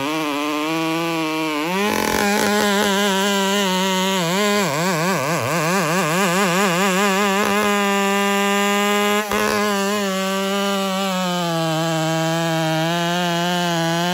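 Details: Piped Dolmar 7900P chainsaw at light throttle: revs surge up and down unevenly instead of holding steady, lean bucking; owner first suspected carb starving, but cause was an air leak at the impulse line, fixed without opening the carb.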